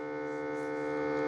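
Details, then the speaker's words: Ecovacs Deebot T80 Omni dock water pump, which failed during the first cleaning and seemingly needed priming, running during a mop wash: steady, even electric hum with a constant pitch and no roughness. Normal pump operation. "That's the sound you want to hear. I think that's the water pump working [music] now."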